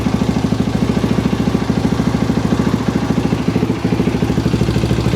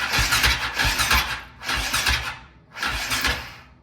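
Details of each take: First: KTM 525 (Outlaw) after fuel line clamps redone, no-run issue fixed, fuel tap on reserve: steady, even thumping idle at a constant rate with no misses or knocks; the single runs smooth and healthy. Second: KTM 525 (Outlaw) with a no-run issue: three short cranking bursts, three to four uneven compression pulses a second, never catching; weak battery needs charging, hiss heard while cranking, compression test planned, cause unconfirmed.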